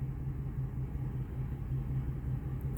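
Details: 2001 Ford F-250 V8 after replacing all eight fuel injectors and reconnecting a forgotten PCV valve that had caused a large vacuum leak; low, steady rumble with no misses, knocks or surging; smooth, even idle.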